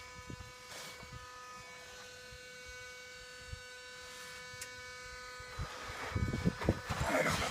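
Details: 2016 Ford F-250 Super Duty 6.2 liter V8 with the engine shut off; a steady mid-pitch electrical hum keeps droning from under the truck. Humming noise after shutdown; source not pinned down.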